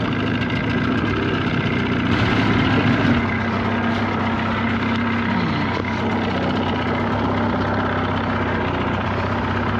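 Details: 1979 Evinrude 35 hp two-stroke outboard after tune-up and adjustments, run at speed under load: constant drone holding even speed with no surging, stumbling or rattles; running cleanly.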